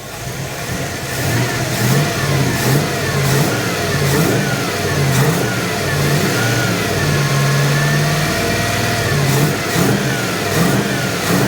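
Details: 1980 Dodge W200 with Magnum 5.9L V8 and Holley 600 cfm carburetor, after setting timing and connecting vacuum advance; revs cleanly, drops to a slightly high, smooth idle about 900 rpm without misses.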